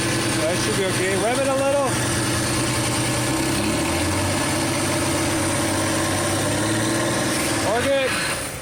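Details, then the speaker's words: VW/Audi V6 (AHA/ATQ), after timing belt realignment with a new lower roller and other parts reused: the engine starts and runs evenly with no whine, rattle or chirp from the belt. "everything else is used we want to make sure there's no noise start it up"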